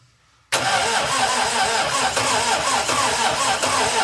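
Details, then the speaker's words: 1961 Triumph TR3A, barn find off the road since 1985, new high-torque starter, cranking with throttle pressed: starter churns, a few pops and a brief catch as RPM rises, never settles into running; battery later found low. "Oh! Try it again. I saw the RPM go."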